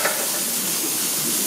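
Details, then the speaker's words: Steady hiss of air being drawn in at the loosened manway flange gasket of a 5,000-litre domestic hot water tank being drained for leak repair; the earlier thumping stops, confirming an air leak at the gasket. "Donc là pour aller plus vite, j'ai desseré le trou d'homme et on entend l'aspiration là. Ça c'est l'air qui passe là."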